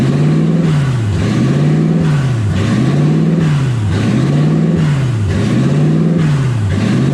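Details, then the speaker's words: 1UZ V8 swapped Ford Falcon on first drive, warm (temperature about 160, radiator warm), smoke from manifold wrap: idle surges up and dips roughly every 1.5 seconds without settling; owner unsure of cause, stuck-open idle air control valve. "I don't know why idles like that. I need to figure that out. It's a little annoying, but radiator's definitely warm."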